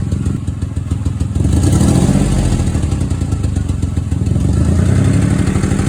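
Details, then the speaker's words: Raspy, chuffing lawnmower-like engine note from a small exhaust leak at the downpipe gasket; exhaust leaks often bring an exhaust smell into the car. "exhaust leaks do come in different shapes and sizes there's usually a smell also accompanied with an exhaust leak"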